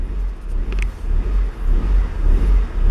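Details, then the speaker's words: Honda Civic with idle surging fault (P0505 context), engine now warm after a cold start that idled fine: idle rises and falls on its own in a slow uneven swell, jumping more as it heats; dirty or sticking idle air control valve. "see how it jumps and you can hear the difference between the engine and it's shake like how so when it jumps because it's hot enough as you notice is getting hot now"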